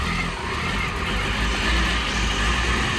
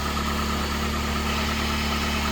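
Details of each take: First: 2002 PT Cruiser first start after 9 years sitting, after new cam sensor, wire repair and new ground: low rumble surging and sagging unevenly, rough running like a misfire; old gas suspected. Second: 2002 PT Cruiser sitting 9 years, after refitting the original crank sensor in place of an aftermarket one: steady, even idle with smooth low hum, no misses or knocks; healthy after repair.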